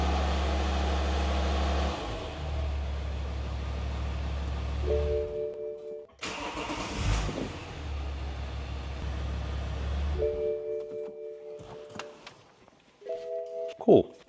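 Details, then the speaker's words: BMW F25 (X3) with N57 diesel, after timing chain job, new crankshaft for failed main bearings, ZF fluid change and propeller shaft refit: first start cranks and catches promptly, settles to a steady low diesel idle, no knocking or rattles; runs normally. "it works normally."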